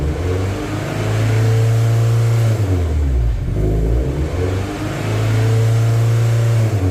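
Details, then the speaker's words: MGF race car on live data: with no throttle the revs keep climbing and falling back every few seconds. No fault codes, though multiple misfire detected shows and the engine light has flashed since a conversion. Idle surge, hunting revs. "so yeah that's what it was doing there isn't really any fault codes that suggests anything untoward"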